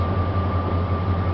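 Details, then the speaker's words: 1999 Dodge Ram 1500 5.2 (318) V8, in for no-start and intermittent rough running, scope connected: deep steady idle rumble with even beat and faint whine, no stumble; running smooth for now. "okay she's running pretty smooth right now"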